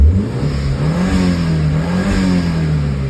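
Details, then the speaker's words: Audi TT Mk1 1.8L turbo APX (222 bhp) after pipe replacement, oil and filter change, revved after restart: engine revs up and holds a smooth, even drone without rattles or knocks. Dump valve is still busted and due for replacement. Normal revving. "That is the sound now of a car that has actually been fixed."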